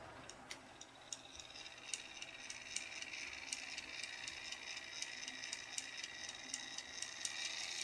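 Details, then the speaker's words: Bachmann model steam locomotive drive tested after a run-in: a faint high whir with light, even clicks about four a second, no gear grinding or rattle. The drive sounds good; a hard plastic joint is next to be fixed. "the drive actually sounds good doesn't sound like any years or bro"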